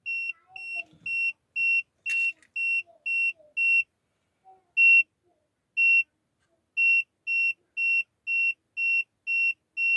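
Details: Peugeot 5008 that won't start: high, clear dashboard warning beeps repeat about once a second with short gaps during the failed start attempt.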